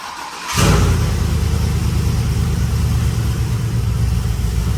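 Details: 2004 Yukon Denali, 6.0 LQ4 with 6.2 LS3-style top end (823 heads, 228/228 cam, 50lb injectors, ported throttle body), built 4L65E, brand-new exhaust. First start: fires quickly into a deep, steady, throaty V8 idle, no misses; healthy.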